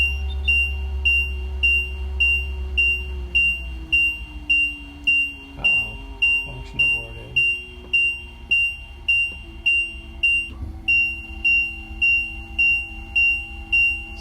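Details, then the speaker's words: RV leveling control panel alarm: sharp high beep repeating about 105 times a minute over a low hum, after the jack retraction aborted when the retract button was released too soon, with the engine running and parking brake set; acknowledged with enter, then retract held again. "if you see that it aborted, just go ahead and acknowledge that it aborted. Maybe I didn't hold the button down too long enough. So when I took my finger off the button, it aborted the jack retraction."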